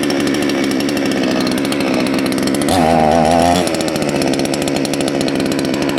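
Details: Salem Master chainsaw after carburetor readjusted back counterclockwise about half a turn: crisp, even two-stroke buzz holding steady, picking up briefly with throttle, no stumbling or surging; running clean.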